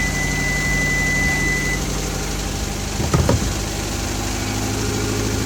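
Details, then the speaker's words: Hyundai Avante engine after repairing broken wires that caused misfire, no intercooler, exhaust leak at open clamp: steady, even idle with no stumble or skipped beats, slight exhaust puff at loose clamp; normal idle, no misfire. "as you guys can hear it. It doesn't got no mis fire and nothing like that."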